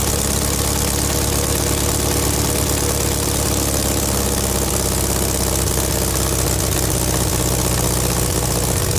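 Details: VW Beetle air-cooled flat-four under restoration, alternator refitted after it smoked: steady even idle with busy clatter on top, no misses or knocks; faint exhaust puff as exhaust not fully connected and leaking, no burnt-wire smell.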